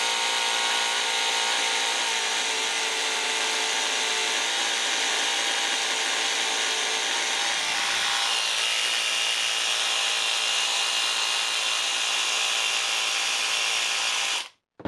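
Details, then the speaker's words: Makita DHR202 18V cordless hammer drill under repair, motor test with armature refitted and brushes checked: high, steady motor whine with a raspy, uneven edge; the reverse switch was placed incorrectly, so the motor runs rough. "Okay, sounds bad. I see that I have placed the reaction button incorrectly."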